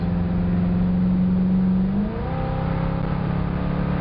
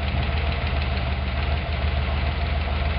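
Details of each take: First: 302 V8 wagon during carburetor power-mode calibration, full-throttle road run through a clean upshift from second gear; strong steady V8 pull with no surging, hesitation or flat spot. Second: 302 V8 wagon, valve adjustment at idle: a rocker is loosened until it clacks, giving a fast, light ticking of about three per second over the steady idle, then tightened until it stops. Valve lash clatter.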